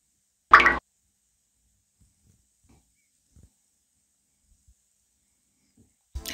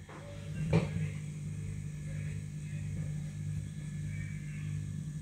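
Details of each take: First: Eltax Atomic A10 10-inch 350W subwoofer after the fix: speaker hum and buzz completely gone, near-silent apart from a couple of handling knocks; only a faint transformer sound remains, audible just up close. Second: Eltax Atomic A10 10-inch 350 W subwoofer, idle: steady low mains hum/buzz from the power transformer, blamed on the transformer sitting too near the capacitors; transformer hum.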